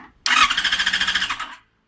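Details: Yamaha FZ6 Fazer: starter spins briskly at about ten even pulses a second but never catches; fuel pump inactive, Error 53 with 5 long/3 short LED blinks, caused by a cut yellow wire about 5cm from the immobilizer, crank-no-start.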